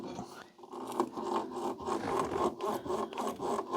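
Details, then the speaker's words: Daihatsu Charade L251 front MacPherson strut top mount, heard while the steering is turned; dry rubbery creaking and scraping in uneven surges of roughly four a second, sounding more rubbery than bearing. Worn strut top mount, before lubrication. "Yeah, something up there is not very happy cuz it sounds more rubbery to me than bearing."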